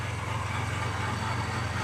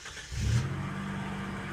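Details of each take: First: 1990 Mitsubishi Montero at first start: low idle rumble with an uneven, lumpy beat of about four pulses a second; stumbling rough idle, running rich with black smoke. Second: Gen 1 Mitsubishi Montero after MAF, TPS, coil, ICM, distributor, fuel pressure regulator and coolant temp sensor replacement: cold start catches quickly and holds an even high idle like a choke setting, normal during warm-up.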